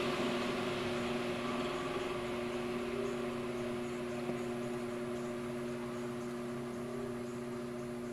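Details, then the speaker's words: Powerful 360° fan on BN-LINK plug-in variable fan speed controller set all the way to lowest (50% range recommended); much quieter yet still running; quiet steady hum with soft even whir, no rattles or scraping, turning slowly. "much quieter but yet it is still running that's all the way at the lowest there"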